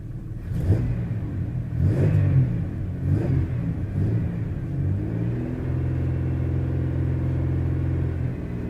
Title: Misfires